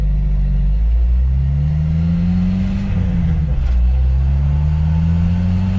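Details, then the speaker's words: 1997 Jeep Wrangler after a Dana 30 front differential rebuild with new bearings and shims, in four-wheel drive high at 60 mph in fifth gear: engine drone with no whine or howl, only slight gear sound; differential runs quiet. "I'm going 60 miles an hour right now, and fifth gear, and it sounds good. It's not noisy."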